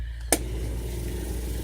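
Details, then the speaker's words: Camper van water tank pump, now out of the box that used to cover it: a single click, then a steady low droning hum, louder than before; it works but gives not much pressure; owner finds it noisy. "If, like, when that was all covered up, it wasn't that loud, but because I've removed, it was in a box like that, now it's a little louder. But it does work."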